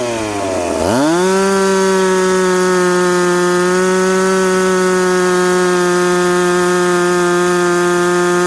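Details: Piped McCulloch Pro Mac 850 two-stroke chainsaw cutting two-year-seasoned oak, tuned ragged-edge lean: snaps from a low note to a high steady scream held through the cut; strong, clean under load.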